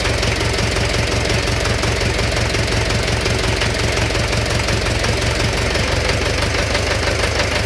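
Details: Engine knock at idle: a persistent hard knock beating in step with engine speed under the steady running noise; internal knock, cause unknown.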